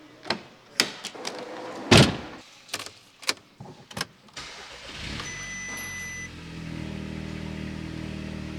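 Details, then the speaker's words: Audi S3 from auction after engine bay work (intake hose routed via MAF sensor to turbo): clicks and door thump, then cranks, catches quickly and settles into smooth, even idle; brake pad sensor warning still on dash. "Let's give the car a start and let's see how it sounds, just to make sure everything's running well and we don't have to come back here again."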